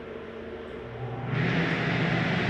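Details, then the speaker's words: 2022 Forest River XLR Boost 32RZR14 RV, AC switched on at the hallway thermostat. A steady airy rush with a low even hum comes in, no rattles or squeals, then shuts right off: blower running normally. "hear that blowing? I'm going to shut that off. AC shuts right off."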